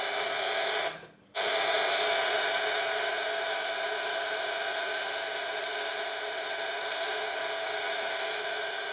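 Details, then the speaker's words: 1930s Carl Haider violet ray machine with flat general-purpose skin electrode: loud steady high-pitched buzz with one brief cut-out, glowing, biting, making ozone; strong discharge, replaced capacitor has energized it probably too much. "wow got quite a fight quite a bite it's generating a bit of ozone as well i think the um changing the capacitor over has really energized it probably too much"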